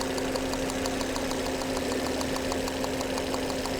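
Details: 2011 Volvo C70 with intermittent hesitation and low power but no codes, spark jump test with a known-good new coil, about 1.5 inches: sharp, regular snapping ticks over the steady idle hum, a strong healthy spark.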